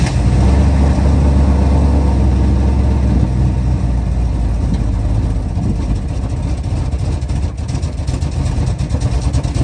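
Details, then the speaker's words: A 1977 Chrysler Town & Country V8 runs off a gas can after a metal fuel line with a pinhole was replaced. It settles into a deep, steady, even idle rumble with no misses or knocks: normal running. "And now it'll run off a gas can. I'll let you guys hear how it runs."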